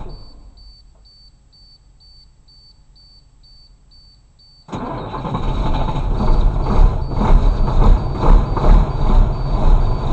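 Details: 1993 Blue Bird bus, International DTA360 diesel without glow plugs, cold start at 16 degrees after about 1.5 weeks sitting: steady high beeping, then catches abruptly into a loud lumpy cold idle without misses; normal cold start.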